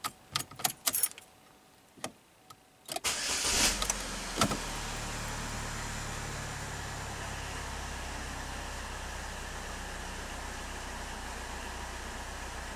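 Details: 2011 Chevy Malibu with intermittent no-crank, after injector harness repair and clearing codes: quick crank catches at once and settles into smooth, even, quiet idle; normal start and idle.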